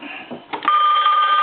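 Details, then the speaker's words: Animated Goofy telephone after board-level repair: bright, steady electronic ring holding clearly without breaking up; normal ringing. "there we go well did you hear something ringing"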